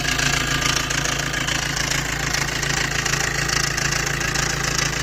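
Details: Maruti Dezire, recorded near the engine right after start: loud, fast metallic chatter over the idle with a clattery top end. The noisy timing chain set is due for replacement.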